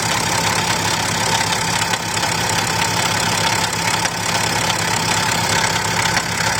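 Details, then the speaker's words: BMW X6 with a noise from the front of the engine, idling with the drive belt removed. The noise persists, a loud hiss with rough uneven ticking at about two per second, traced to the exhaust/turbo side. Abnormal engine noise, cause suspected, not confirmed. "So now we're just gonna start taking the belt off, and the noise still there. So it's coming from this exhaust, from this turbo side."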